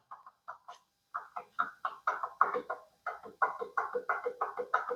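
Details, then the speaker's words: Vespa LX 50 2T scooter engine with the alternator side cover removed, crankshaft turned by hand: fairly loud, loose sharp clacks about three a second. The suspected crankshaft bearing damage appears to be at the connecting rod big end, since the outer bearing shows no play. "Und mein Verdacht ist eben, dass wir hier einen Lagerschaden haben an der Kurbelwelle. Jetzt ich dreh mal hier. Also ziemlich laut."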